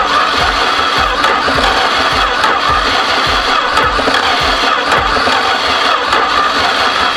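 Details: 1973 Duster slant six, unrun 21 years, after new distributor cap and rotor, reseated plug wires, vacuum leaks found: steady rhythmic even-beat cranking, never catches or picks up speed; cranks but won't start.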